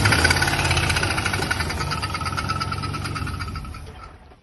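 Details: Volvo with a turbo LS V8 swap, days after a drag strip run: a steady, rapid knock about three or four per second over the idle rumble; it began knocking badly while driving, and rod knock is suspected.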